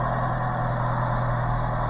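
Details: 2017 Suzuki APV manual minivan on ramps, idling right after an oil change; smooth steady low idle, even rumble, no knocks or ticks; oil light went off showing oil pressure, no leaks at drain bolt or filter.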